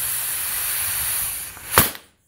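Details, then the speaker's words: 50mm wastegate under pressure test: steady sharp air hiss, then a louder rush as the valve is cracked open; air leaks straight out of the top past the diaphragm, which is then to be tightened. "so I'm gonna crack the valve open you hear it he's leaking straight out of the top"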